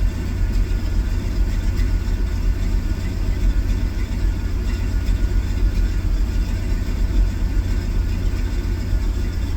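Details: Engine started from total cold after a new distributor, new plugs and continuity check of the EST connector, no codes: deep idle with slight rhythmic rise and fall and a possible miss; owner suspects plug wires.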